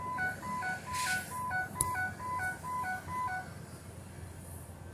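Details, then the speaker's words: 2007 Ford E350 Econoline XLT with AdvanceTrac RSC, inside the cab: a repeating high-low two-tone warning chime about twice a second. The suspected cause is moisture in a wiring plug, to be fixed with silicone grease. "it Chimes again like this we're going to get some silicone grease and take care of that once and for all"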